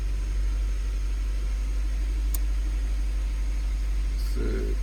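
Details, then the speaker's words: Honda CR-V at cold idle after new spark plugs, plug wires, valve cover gasket and an oil change: a steady, even low idle with no stumbles or skips; the slight misfire it used to have when cold is gone. "No more chicken delight. Doesn't even like, because when I would turn it on, it was cold too. It would like kind of like it did have like a little misfire, but now it looks like it doesn't even like misfire at all."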